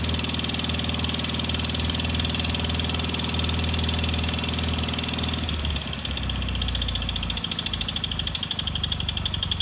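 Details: Cub Cadet Cyclops mower with Kohler 18 twin engine running with a rough, rapid puffing beat about four a second; electric clutch bearing first suspected, then blown head gasket suspected, not yet confirmed.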